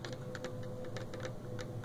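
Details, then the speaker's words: Tactile push-button switch on a washing machine control board, pressed by hand: small, crisp, distinct clicks one after another, a good switch. "escutei aprovei e ela dá um estalinho certo pessoal"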